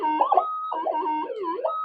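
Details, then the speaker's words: Modded Minelab GPZ-7000 metal detector indoors at sensitivity 17, no target; constant warbling tones sliding up and down: interference from household 50 Hz power wiring, too noisy to work with. "so it'd be impossible to try and do anything with that amount of noise"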